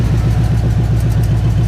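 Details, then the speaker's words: 1988 Chevy K1500 V8 with new shorty headers open, no exhaust fitted, recently run so not a cold start: deep fast even chuffing at idle, quieter than expected; owner suspects a leak from a loose bolt, unconfirmed. "But here kind of, but you know, really I thought it'd be louder. I mean, it's not quiet,"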